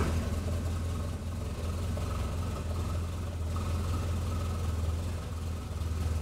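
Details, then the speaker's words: Amphicar engine after oil change, laid up since a big service: low, even idle with steady beat, no knocks or ticks, oil light gone out; normal idle before dipstick check. "sounds nice and the all lights gone out so that means we've got all around the engine"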